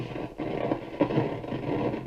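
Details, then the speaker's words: Zenith tabletop tube radio before alignment: hissy, scratchy FM static with irregular crackles and pops over faint audio, while AM is clean; the cause is unconfirmed, and an alignment is planned to maximize the signal. "got all kinds of issues here. So we're going to try to clean that up, the sound today, do a little bit of alignment, try to bring the adjustments into line so we maximize the signal that we're getting here."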